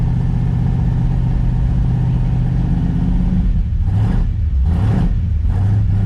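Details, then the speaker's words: New Ford 351 Cleveland V8 with a flat-tappet cam in an XD ute, during cam break-in: a deep fast idle that smooths out as it heats up, then throttle blips that pick up cleanly. A healthy engine. "You slowly hear the transition, guys, from the fresh can. There's a little bit of resistance, and then as it heats up, bit of temp gets in, you hear it smooth out, and it's a beautiful thing, guys."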